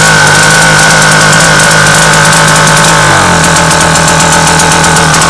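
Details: British Seagull outboard two-stroke: buzzy idle that runs unevenly, pitch sagging and settling lower; rough hunting idle, steady running needs a very delicate points adjustment that seems not quite right.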